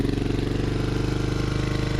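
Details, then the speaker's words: 1995 Kawasaki Vulcan 750 V-twin on choke, just after the solenoid and starter motor were replaced, fires on the first turn. It settles into an even, steady idle with a regular loping pulse and no knocks or rattles: normal idle. "There she is. Fired right up. First turn."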